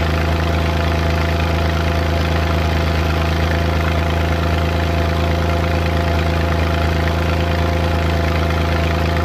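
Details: Suzuki Multicab with an F6A petrol engine at idle: uneven, irregular "tak...takatak" tapping from random misfire.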